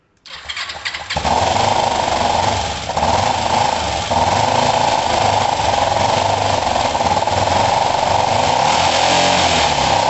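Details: Kawasaki ER-5 twin after setting valve clearances and fitting second-hand coils: starts quickly, then ragged uneven beat with wavering note, seemingly firing on one cylinder; wants some choke; owner suspects the already-cleaned carbs.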